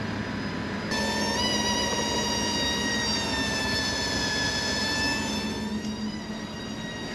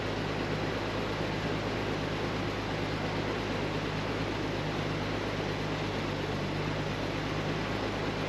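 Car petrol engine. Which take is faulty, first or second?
first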